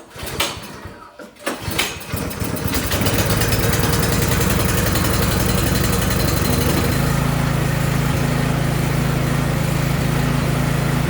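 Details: Briggs & Stratton 1022E snowblower, previously surging: after carburetor cleaning, a few pulls then a steady even beat with no surging or hunting; runs cleanly.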